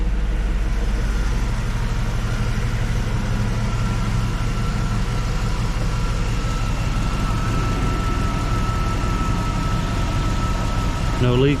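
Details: 2004 GMC Yukon Denali started after brake booster replacement (old booster leaked power steering fluid), checking for leaks: low, even idle with steady beat, no misses, knocks or ticks; V8 sounds smooth and healthy.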